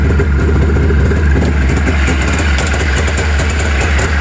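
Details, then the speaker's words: 1999 Arctic Cat, round-slide carbs, Boyesen dual-stage reeds, cold 28°F morning, choke on and tank pressurized. Fires after several stiff pulls into a deep, steady two-stroke idle without hunting or misses; carb setup judged correct. "that next pull was bang wow so that is good news man that means i set this sucker up properly"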